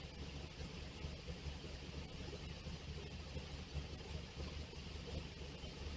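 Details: V8 drag car idling after an intake rework with intake runners and the carburetor refitted, before timing is set: low, steady rumble with a slightly loping beat, even running, no knocks or rattles, a normal idle.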